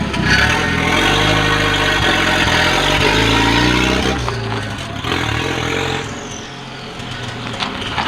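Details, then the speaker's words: Volvo 940 driving with no exhaust fitted, starter suspected sticking: very loud, raw tractor-like engine bark with a rough beat about four times a second as it pulls away; car drives fine. "sounds like a tractor isn't it it's really really loud but again it dries which is good"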